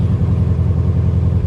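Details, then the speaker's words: Project Corvette with no clutch, restarted hot after warm-up. Deep, steady low rumble with an even beat and no misses or knocks, idling smoothly around 900 rpm at normal warm idle. "It idles down good and everything. Yeah. Idles down. It's probably like 900. Sounds like it's like 900."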